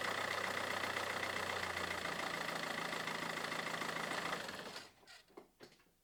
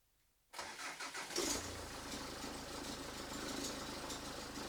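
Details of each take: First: Mazda 6 diesel idling after the alternator belt tensioner and idler pulleys were replaced: steady rattly clatter with the belt squeal gone, then shutdown. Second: Mazda 6 GH diesel cranks, catches and idles with a thin, high squeal over the diesel clatter. The cause is worn accessory belt idler and tensioner pulley bearings (203 bearings), and the squeal was gone after the rollers were replaced.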